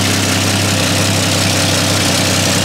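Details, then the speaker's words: 1954 Chevy 3100 half-ton pickup, original 235 cu in (3.7 L) straight six, 6-volt, started cold: smooth steady low idle, even exhaust beat, quiet with no valve noise, ticking or knocking; compression 110–120 psi on all cylinders, good oil pressure. "very very nice quiet this could be that engine no valve noise"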